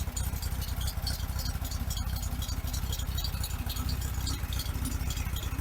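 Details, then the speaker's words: 1974 VW Beetle Sun Bug with a non-stock built engine, performance cam and standard-weight flywheel, at idle. A low, loping idle pulsing about four times a second, a little uneven but steady with no knocks. A normal lumpy idle from the cam. "fired right up. It's a little lumpy because of the cam, but >> Well, yeah, of course it's going to be. It's not a stock motor, but the size that you've built is good for a daily driver."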